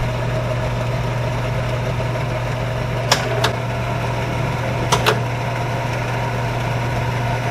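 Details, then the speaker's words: 1975 Hardinge HC Chucker lathe after belt adjustment, speed dial turned so variable speed pulley closes up and speed rises: steady low hum, even drone, a couple of light clicks; normal variable speed drive operation. "now you can see the pulley is closed up considerably the shaft has gone way up and that's what makes it happen"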